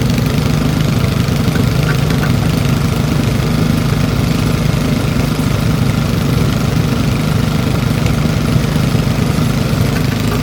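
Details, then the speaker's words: Old Briggs & Stratton single-cylinder engine salvaged from trash, after opening needle valve: even, steady putter at constant speed, no misses, hunting or knocks; smooth enough to hold with one hand. "look how smooth that is I can hold it with one hand"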